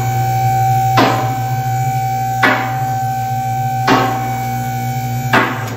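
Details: American Custom Lifts M1 car lift rising: steady hydraulic pump hum with a sharp metallic knock about every 1.5 seconds, the normal clicking of the safety latches.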